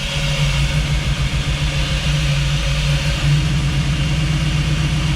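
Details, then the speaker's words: Jeep V8 idling through new open true dual exhaust, recorded up front; uneven lope with occasional stumble and visible shake; cause was the injection setting being wrong in the tune; misfire at idle. "It actually sounds pretty good, other than the miss."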